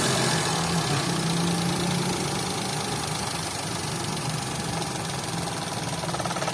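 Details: 2011 Toyota Vitz petrol engine at idle with check-engine light and code P0303: rough, uneven stumbling beat from a cylinder 3 misfire, caused by swapped fuel injector pulse wires; fixed by reconnecting the wires correctly.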